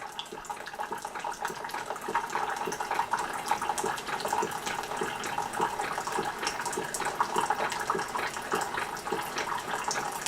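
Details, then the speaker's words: Keurig 2.0 coffee maker brewing a cup: a soft, rapid pump kicking back and forth under trickling, gurgling water, quiet and even throughout; a normal brewing pump, said to be much quieter than another brewer. "you can hear that pump kicking back and forth pushing that water through let me say this one here is much quieter than this one"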